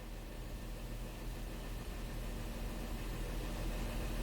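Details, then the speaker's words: 2016 Honda Pilot with a check engine light, DTC P2638 torque management, and slight cylinder 4 misfire count: quiet even idle with no skips. Engine sounds good and is not misfiring at this moment. Normal idle. "so right now the engine sounds good it's not misfiring right now"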